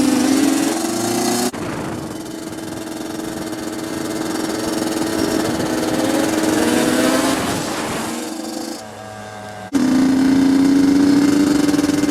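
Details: Yamaha Banshee two-stroke after fixing clogged carburetor jets (it previously ran then died, leaked fuel, wouldn't restart): crisp revving climbs and falls cleanly, even idle between blips; fuelling right, engine healthy.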